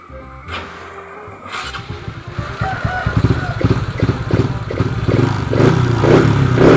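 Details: Honda Wave 125i on E20 fuel with PCX150 injector fitted, being fixed for rich-fuel stumble when throttled; a few quick blips and rising revs pick up cleanly with no stumble or hesitation, pulling smoothly.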